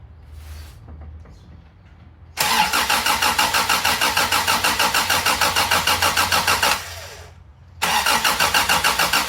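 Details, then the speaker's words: 1987 Toyota Tercel 4WD with a freshly swapped 4A-C engine, first start attempt: the starter churns about three turns a second in two long bursts but it never fires; starter suspected of staying engaged; cranks, no start. "Turn the starter back. I think the starter was staying engaged."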